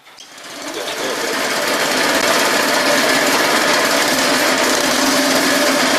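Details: Go kart, Custom Model 1, before installing pod filter, carb jet and exhaust (stock setup): engine catches and climbs within two seconds to a fast even buzzing run with no misses; healthy.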